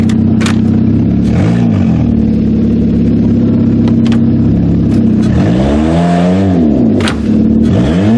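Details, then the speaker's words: Kia demolition derby car ("Killer Kia") on a short test drive after build: revs climb to almost 7,000 rpm and fall cleanly with throttle, pitch sweeping smoothly with no misses or clatter; healthy acceleration. "Oh, but she's got some revs. So what's revs in? Almost 7. Impressive."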